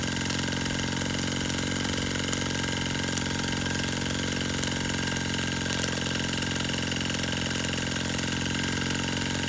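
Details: Stirlingkit model steam engine and boiler kit, freshly assembled and oiled, first run with pressure gauge seeping and not reading: quick even chuff about three beats a second with steady hiss; running smoothly.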